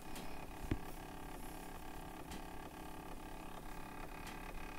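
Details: PrintrBot Simple Metal 3D printer a day after configuration: faint regular ticking, two to three per second, over a steady low mechanical hum; something catching in the drive.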